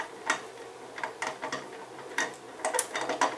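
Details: 2002 Chevy Blazer front driveshaft, noise in four-wheel drive, removed and flexed by hand: irregular dry clicks and catches at the rear CV joint; worn CV joint binding.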